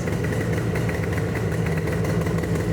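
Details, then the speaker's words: 1979 Yamaha RD400 Daytona Special two-stroke after carbs reinstalled with no fuel leaks, choke on, one-kick start, cold 45°F day: steady, crisp, even burble with no misses or sputtering. Normal two-stroke idle. "That's one one kicker. Wow, she sounds so much better."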